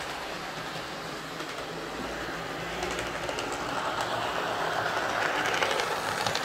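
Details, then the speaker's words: Lima Class 55 Deltic model locomotive (L201645, 9006 "Fife & Forfar Yeomanry") after filing rough marks off its plastic gears: even, quiet whirr from the small motor, no grinding or ticking; now runs smoothly and much quieter. "so that's certainly running an awful lot quieter um i think filing those gears down has been the the secret there to getting this running quiet"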